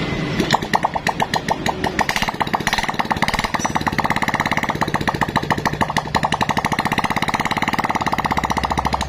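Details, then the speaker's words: Freshly assembled Honda Supra-series motorcycle engine, first test start on an engine stand with no exhaust fitted; rapid, sharp, evenly spaced loud crackling bangs from the open pipe, firing cleanly on every stroke. Normal running. "Namun ini mohon maaf dulu nih, sebelumnya ini akan berisik sekali soalnya ini knalpot tidak ada ya."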